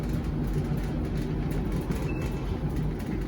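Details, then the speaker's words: Kenmore/LG gas dryer after repair, guide wheel with bad bearing and flat spot replaced, lint cleaned: steady low rumble of smoothly turning drum, clunking gone, operating normally. "I reassembled the dryer and now we no longer have any clunking it's operating normally now"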